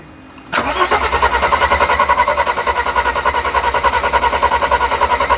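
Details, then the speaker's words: 1991 Mercedes 300SL with a no-start fault; fuel pressure is present and fuel can be smelled. The starter spins steadily at about three and a half turns a second, but the engine never fires. Owner suspects fuel is not passing through the injectors. "So, getting the fuel up. You can hear the air coming in. But why is it not going through the damn injectors?"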